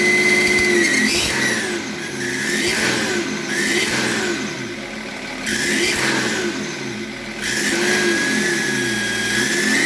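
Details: BMW E38 M57 3.0 diesel with a rebuilt turbocharger that whines like the old one; high whistle rises and falls with each rev, tracking boost. Unplugging the variable-geometry control valve connector stops it, reconnecting brings it back; cause not pinned down.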